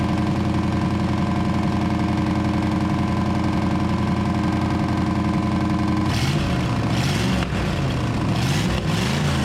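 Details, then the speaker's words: 1934 Ford chassis with 1960s Buick Nailhead V8, first run in about 40 years, fuel poured in because the accelerator pump isn't working: big V8 loping steadily through open pipes, rising and falling with throttle blips, no knocks. Normal running. "slingshot engage well she runs you better open some doors though"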